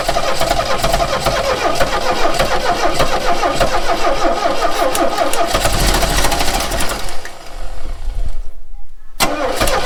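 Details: 1969 Renault 16 petrol, not run in years, external fuel supply, second try with starting spray and the original HT lead refitted: starter churns seven seconds with odd weak firings, stops, retries; never catches, owner suspects only one cylinder firing.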